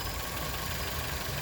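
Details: 2001 Nissan Altima, 139,000 miles: smooth, even low hum with no knocks, misses or hunting; quiet normal idle.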